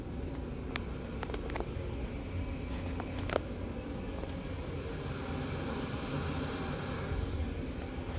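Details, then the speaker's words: Amana 95 IIQ two-stage variable-speed gas furnace, heard in the basement on high stage: steady low roar from blower and burner, noticeably louder, with no surging, knocking or scraping; normal operation. "You can hear how much louder the furnace is now."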